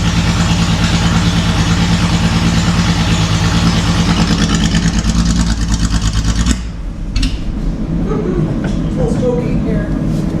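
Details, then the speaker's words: Datsun 280Z barn find, off the road 18 years, after new injectors and clamping fuel lines: loud lumpy idle with uneven pulses about three a second, then stumbles and quits; runs no differently than before, cause not yet found. "We might have to investigate it tomorrow. Yep. And see why it's still running rough."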